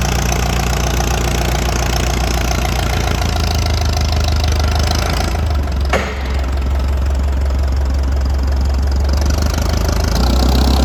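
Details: International Harvester 806 diesel tractor, first fire-up after rebuild: deep, even diesel clatter settles into a steady idle rumble and keeps running smoothly.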